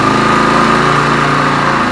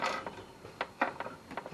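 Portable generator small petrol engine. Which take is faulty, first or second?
second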